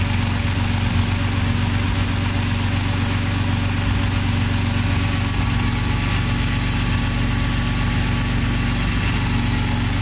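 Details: BMW M54/M62 engine with LPG, after securing a loose original gas-system connector that caused sporadic misfires: steady, even low rumble at warm idle with no stumbles or dropouts, firing cleanly on all cylinders. Normal idle.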